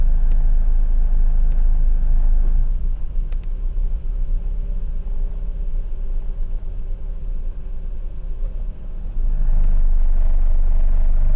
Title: Mazda RX-8 Rough Idle